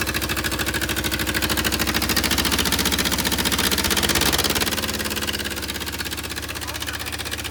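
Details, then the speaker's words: Willys CJ2A Jeep, first run with no coolant flowing: loping idle, uneven beat around two per second with a stumbling rhythm, running a little rough; owners say the idle adjustment is off and needs setting. "The Jeep runs. It's a little rough. And let's see if it'll start right back up now. Right. >> Probably not. Just cuz the idle adjustment needs is off."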